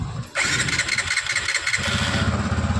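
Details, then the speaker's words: TVS Apache RTR 160 FI BS6 at about 5000 km, after mechanic tightened the valve tappets for a tik-tik engine noise: starter whine then even, steady idle with no top-end ticking; normal idle, noise gone. "Bike start है अब bike के अंदर देख सकते sound पहले वाला नहीं आ रहा है"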